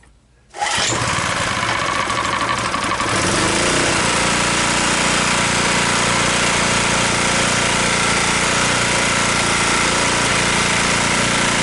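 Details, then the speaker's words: Abandoned 2 kW generator, cold start with choke on after no-start diagnostics; starts first pull after brief sputter, then steady even drone with no misses; running normally. "that looks good sounds good let me get a grinder"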